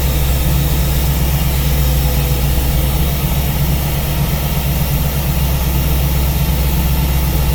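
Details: V8 with newly installed Ace's Killshot EFI and Blackjack distributor, timing locked at 15° for setting, at idle: steady low burble, even firing, no knocks, misses or hunting; normal idle.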